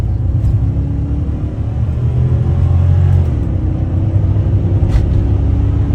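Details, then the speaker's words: 2014 Dodge Charger Pursuit HEMI V8 AWD ex-police car, 0-60 mph launch with electric exhaust cutouts closed, wheels spinning: deep muffled V8 rumble swelling under hard pull, no knocks; normal acceleration. "All right, that was 0 to definitely 60 miles per hour with the exhaust closed. As you can see, I spun out there."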